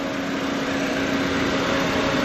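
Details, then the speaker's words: 2025 Toyota Vios 1.3 XLE CVT, dual VVT-i petrol engine, about 3,000 km, no flood signs, engine bay open: soft, even hum with steady low tone and no knocks or ticks; quiet, normal idle. "Tahimik na tahimik din makina. Kompleto mga markings."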